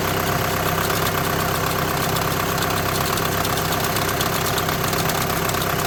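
Steady idle with an uneven buzzing rattle riding on the engine note, about one and a half beats a second: dual-clutch plate vibration.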